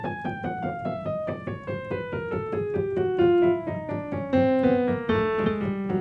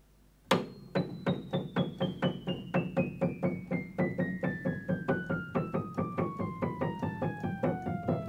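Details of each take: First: Kioshi Gen-1 digital piano after being calibrated twice: a falling run of notes with several keys far louder than their neighbours and one key not sounding at all; uneven key velocity caused by incorrect sensor rail height. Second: Kioshi Gen-1 digital piano after lowering the sensor rail bracket by four half turns: descending run of notes at equal loudness, no double tones; even key response.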